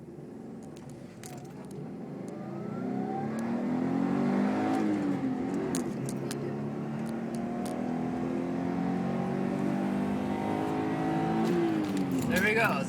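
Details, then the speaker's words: 2002 Subaru Impreza WRX, manual, test drive after clutch replacement (engine removed, new clutch, ~0.5 cm pedal free play): engine pulls cleanly through the gears, revs rise smoothly without slip, chatter or grinding; clutch grabs well, no problems. "This thing works very well. Completely grabby clutch. No problems."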